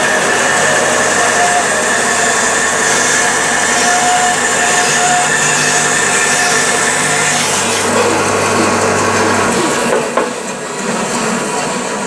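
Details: Sip 01366 14-inch bandsaw with newly fitted blade, ripping wood along the fence: steady even hiss of blade through wood with smooth motor drone, no knocking or ticking, then cut ends; cutting normally.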